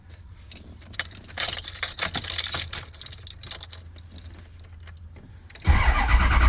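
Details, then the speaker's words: Ford 6.0 Powerstroke diesel, crank-no-start, cranked with FORScan connected (ICP voltage 0.21, IPR 14%). The starter spins the engine over steadily without catching; crank/cam sync was good, ICP psi climbing, IPR going wide open: cranks but won't fire. "so we're just going to crank this I know it's not going to roll but I want to make sure that we get the Fick them syn"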